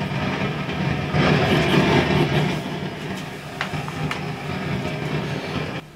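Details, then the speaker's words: Fender Vibro King tube amp: loud steady rushing roar that swells, eases and suddenly drops out, intermittent noise; turning tone controls down silences it, suspected generated in tone circuit ahead of phase splitter; culprit eventually found as a small brown component. "well my guess is that this tone circuit is sitting just in front of the face splitter and the noise being generated somewhere in this tone circuit and just being passed on to the phase splitter"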